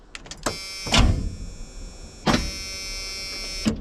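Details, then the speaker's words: Freightliner COE heavy wrecker sitting out in freezing cold, first cold start attempt: short sluggish starter whirs in three bursts that never catch; slow cranking, owner suspects dirty battery connections and plans to charge battery. "okay stop I think it's just the connections are dirty so I think what we'll do is charge this battery"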